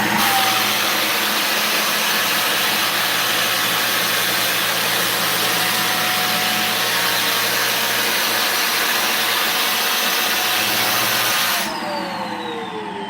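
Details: Vacuum with a clogged wand and hose, on carpet the brushes make look clean: a steady airy roar with a thin, unchanging whine, then it winds down. Choked airflow, no suction.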